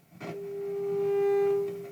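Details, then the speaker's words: 1969 Telefunken Gavotte 201 tabletop transistor radio, signal generator on pickup input: steady test tone turns harsh and buzzy as volume rises; amplifier distorts badly, suspected switching or amplifier fault, power supply seems fine. "it it distorts quite badly if I open up the volume"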